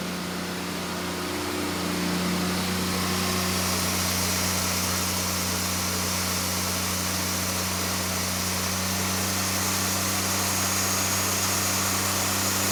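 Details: 1981 Datsun Bluebird 910, built VQ35 turbo (Elgrand bottom end, forged pistons and rods, VQ30 heads, Kelford cams) on Haltech, after cam timing fix: steady even six-cylinder drone, no misses or stumbles, running on all six.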